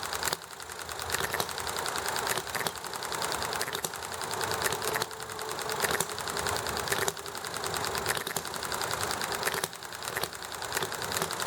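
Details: Small Enjomor hit-and-miss engine running nicely, with highway traffic and chatting in the background: short firing burst, coasting with fast light clicking, firing again every second or so; healthy, normal hit-and-miss running.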